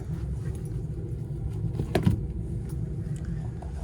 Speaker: and I hear the furnace firing up okay